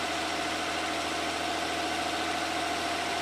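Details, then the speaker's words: 1994 Ford Probe GT 2.5 V6 at cold idle on a cold day, just after new NGK spark plugs and wires were fitted: steady, even idle with a smooth low hum and no misses, knocks or stumbles while warming up; normal. "We'll start it up and see how she sounds. So good so far."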